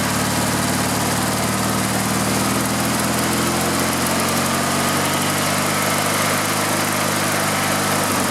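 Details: Riding lawn mower engine run with the gas tank bypassed and gas fed directly: a loud, even, constant-pitch drone with no stumbles or hunting. The engine is healthy and the fault is a fuel line or tank restriction.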